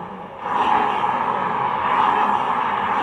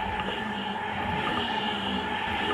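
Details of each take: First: Honda Vario 125 scooter CVT: rough continuous grinding rasp as the rear wheel turns, easily mistaken for worn reduction gears but actually a dry, worn driven pulley clutch bearing; recorded before replacement. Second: Honda Vario 125 scooter CVT with the pulley removed: a steady, even whir from the spinning final drive with no grinding, showing the earlier grinding noise was not from the final drive gears.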